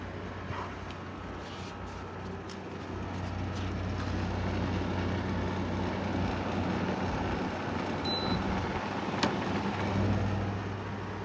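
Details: 2016 Arctic King 5000 BTU window air conditioner, model WWK05CR61N, compressor on cool, fan low, about 3.23 A, 388 W, blowing freezing air: low, steady hum under fan rush without surging or cycling; compressor running normally.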